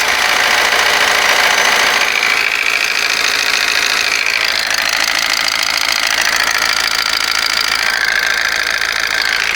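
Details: Honda Amaze after repair, where the rattle was blamed on timing chain and tappets and both were replaced: busy high-pitched ticking at idle, about three or four per second, no heavy rattle; noise much reduced, remaining tappet noise.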